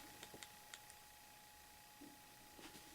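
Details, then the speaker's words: Lollipop MP3 player with volume turned all the way down: faint, scattered sharp clicks over a thin steady tone, gone when paused, mainly at start and stop before the music takes over; cause unknown. "I've turned it all the way down and I hear kind of a weird clicking. If I pause it, I don't hear the clicking, so that's good."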